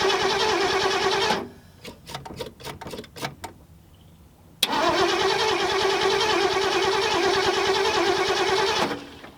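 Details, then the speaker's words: 1974 Ford Galaxie 500 that sat from 1992 and survived a tornado, cranked on a jug-fed fuel hose: two spells of steady cranking, about three beats a second, never firing; crank no-start, number one plug about to be checked for spark. "what we need to do now let's pull a spark plug and hold to see if we can actually get spark when we continue I don't want to burn our starter up or anything like that"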